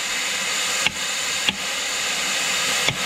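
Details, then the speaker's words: Massey Ferguson 175 with Perkins 236, split for clutch job, MultiPower 6-speed: input rotated in high range with air pressure on clutch pack, dull clunks one direction, locked the other, over air hiss; normal operation. "you can hear the clunking noise high range here [Music] and some good healthy plunking other directions locked up"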